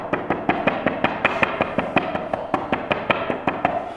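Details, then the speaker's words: Newly installed wood-look porcelain floor tiles being tap-tested: steady sharp taps, nearly three a second, some ringing hollow instead of solid, because tiles were not stuck down with enough glue. "Yeah, it sounds hollow underneath."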